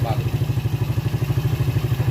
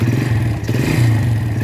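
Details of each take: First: Rebuilt Yamaha Vega ZR engine idling after full rebuild for recurring smoke, carburetor refitted, valve cover open to watch oil flow: even quick putt-putt, steady beat, no knock or rattle, smooth; healthy. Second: Yamaha Vega ZR single before rebuild, heavy smoke returning despite repeated rebores, oil flow verified good: rough clattery running note with scrapy rattle over steady low thrum; suspected worn piston, con-rod and valvetrain (cam, rockers).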